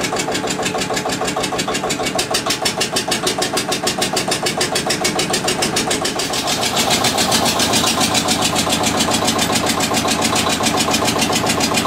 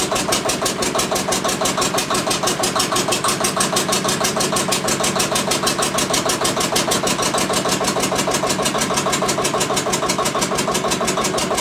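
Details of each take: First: Witte diesel generator, unstarted 45 years, refilled with water and three gallons of oil: slow even chuff about three beats a second picks up slightly then holds steady, runs cleanly; generator output only about 2.5 V versus ~64 V expected. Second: Witte diesel generator's first run in 45 years: slow, steady single-cylinder thumping about three beats a second, clattery top end, no audible fault; oil pressure was not building, so it was shut down to investigate.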